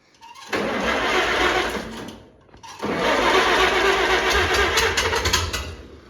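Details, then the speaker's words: Tractor that has sat for at least a year, on first start: it catches, stumbles and dies, then restarts and runs unevenly with surging; it needs a tune-up, and the owner suspects the timing is off and the governor needs adjusting. "Ed definitely needs a tune-up but it's always better than that way and not and I think the timing is off on this tractor anyways"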